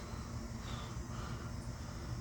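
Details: Laars boiler with Taco zone valves during heat maintenance, burner relighting: low steady rumble, no knocking or squeal; owner's occasional noise complaint possibly from running multiple zones at once. Normal burner operation.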